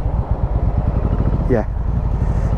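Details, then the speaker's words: Yamaha Virago 1100 V-twin at idle: a lumpy, uneven thump with missing beats, running on the front cylinder only. The rear cylinder drops out at low revs and kicks in when revved; a fuel problem is suspected, and the carb float valve was later found gone. "back to one and then when i revvy up and then the second the rear kicks in as well"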